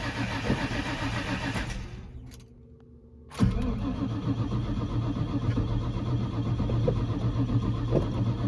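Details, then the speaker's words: 2001 Ford Mustang Bullitt with dead battery, a borrowed used battery fails, then boosted with a big battery charger: brief cranking, pause, engine catches and settles to steady idle; starts on charger boost. "Well, that's a big no, but I was determined to get the car started, so I set up the big battery charger. We'll try it now. There we go."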